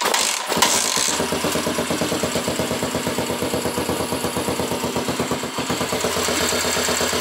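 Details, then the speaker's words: Skua 150 single-cylinder motorcycle after a valve adjustment starts and settles into an even, steady putter with clean regular pulses and no valve tick; normal wear noise only, a healthy idle. "ese ruido normal de uso pero después no tiene ruido válvula nada así que está perfecto"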